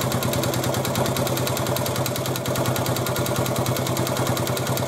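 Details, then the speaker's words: 1986 Honda TRX 70 after a top-end rebuild, first start with choke on: a sharp, regular knock about three per second over the idle. At first thought to be the valves, it was later found not to be the valves. "to get you up to speed That Knocking was not the valves"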